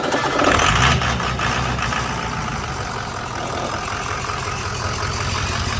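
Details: Budget 6.0 diesel truck build at idle. It catches into a rough idle, and a quick tinny rattle rides over the diesel clatter; the rattle is the exhaust loose inside the fender.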